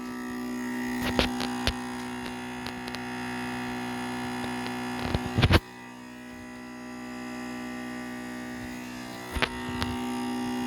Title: Acer Predator Orion 3000 loud buzzing noise